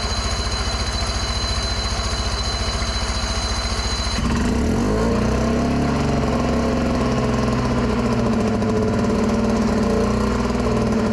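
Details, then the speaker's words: 1961 Scott-McCulloch motorboat engine, first run in 60 years after cleaning the distributor points, trying to idle with the throttle plates closed: rapid steady firing beat jumps higher after four seconds and stays there; idle too fast. "It's a bit much."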